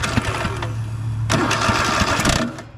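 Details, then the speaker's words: Cub Cadet RZT zero-turn, Kohler engine, with new spark plugs and both coils showing good spark: brief labored cranking, then a sudden harsh grinding burst without firing; owner suspects the starter bound up or bent. Bad starter and bent push rods later found. "whoa and something bad happened starter looks like it got bound up almost like it got bent that's weird try that again"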